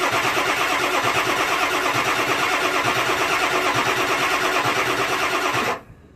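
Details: Ford 7.3 Powerstroke diesel, cold (below 50-60 degrees), before the fix; steady starter cranking about three beats a second that never catches, white fuel smoke from tailpipe; cold no-start blamed on injector electronics clearances.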